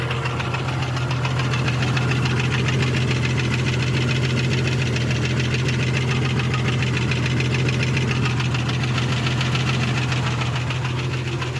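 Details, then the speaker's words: Engine knock on a Jeep 4.0L reassembled after sitting open three months: steady idle with deep hum and quick even knock, much quieter than before; cause unclear, owner suspects cylinder one missing from its plug wire. "that i don't know if you remember that knocking noise but it was so much louder it sat for like three months and now it's it's still got a knock though you can hear"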